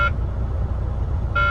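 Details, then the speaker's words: Unexplained high electronic cab warning buzzer cutting in and out over low idle rumble in a truck not yet hooked to a trailer; reported to maintenance, cause unknown. "You hear that buzzing? I am just cursed with trucks, man. Cursed."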